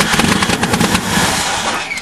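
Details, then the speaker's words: 1998 Ford truck that sat unused for a year and a half, new battery fitted, cranked with the throttle held a quarter open on starting fluid. Quick volleys of sharp backfire cracks with no steady firing; the fuel pump was later found not running, giving no fuel. "it's gonna light your fingers on fire with backfires"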